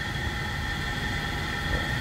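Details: 1999 Toyota Kijang 7K LGX carbureted petrol engine at warm idle with an even low rumble; the tek-tek valve tick heard on cold start is gone once oil circulates and the engine warms.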